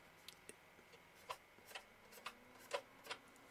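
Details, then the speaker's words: MaxInPower netbook cooler fan at minimum speed: faint hum broken by uneven crackling ticks about every half second, a dry rough fan bearing. "donc là le ventilateur est à vitesse minimale on entend un grésillement une sorte de petit bruit de roulement nettement nettement"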